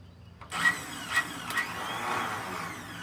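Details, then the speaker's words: Cub Cadet HDS mower with a possible blown head gasket, transmission fluid poured into the cylinder to add compression: short starter bursts, then a free, light whir with no cranking; starter spins without engaging the flywheel. "That one's not engaging either. What's going on?"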